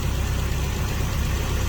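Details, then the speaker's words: Toyota Tarago/Previa/Estima van engine idling smoothly and steadily with an even beat and no knocks or ticks. This is the first start after reassembly, with a new head gasket (the old one blew between cylinders 3 and 4) and a new, refreshed head. Normal idle. "And now that this engine has a good head gasket on it. Now the head is new, refreshed. So it should be a good running engine for a long time."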